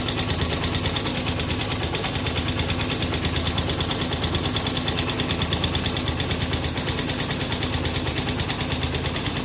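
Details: Honda XR200R, recently bought, at idle: fast, fairly even ticking clatter over the single-cylinder exhaust beat, roughly three per second. Owner suspects it is not normal; cause unclear.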